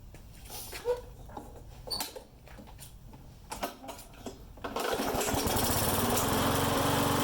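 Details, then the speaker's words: Mower engine that started then died, after carb work and replacing bad fuel with fresh gas; after some clicks it catches and holds a steady even drone without surging or sputtering, runs fine. "And then so I just pulled the tank off again, dumped all the fuel out, blew it out, and put good gas in there, and now it runs fine."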